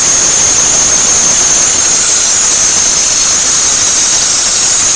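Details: 2006 Toyota Corolla: loud continuous high-pitched squeal over the engine, climbing in pitch with speed, occurring only in cold and especially damp weather; cause not yet found.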